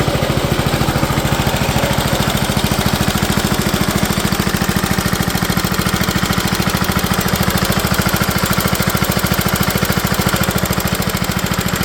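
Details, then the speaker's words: 1970 Allis Chalmers B-208 (Simplicity-built) tractor running after 15 years unused, fresh gas and a battery put in: even steady single-cylinder thump with no misses over twelve seconds; healthy. "well I got to say this was a success getting this little Alice Chalmer b28 up and running again after 15 years"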